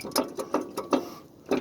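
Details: Truck lifted for inspection, passenger-side wheel rocked by hand: sharp metallic clunks about every third of a second from up-and-down play at the hub; the wheel bearing has failed.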